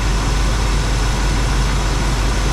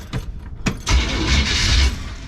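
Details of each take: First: V8 van with hard starting and occasional loud bangs after about 1000 commuting miles, timing checked: loud, steady low rumble at idle with a slightly uneven beat; ignition timing far too advanced, off the marks. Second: V8 in a G10 van with a history of hard starting and an occasional loud bang on startup, cold weather: short crank, catches and settles into a smooth idle with no bang; clean start.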